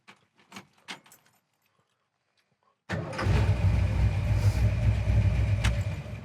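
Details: 1966 Ford Mustang K-code with 347 stroker V8, about 50 miles since rebuild, new 4bbl carburetor, distributor and ignition: keys rattle, short crank, catches at once into a strong, steady idle through dual exhaust; starts healthy.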